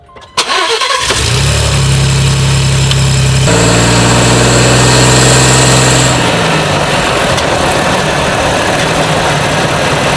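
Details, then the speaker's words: Ford Bronco road test after clearance work and heat wrap where the exhaust pipe contacted the frame, camera underneath, around 2,000 rpm where rattle usually appeared: engine idles, revs and drives off quietly; no exhaust rattle. "Not hearing anything so far, so That's a good sign. Usually I would hear it right in the low RPM range, right around 2,000 or so."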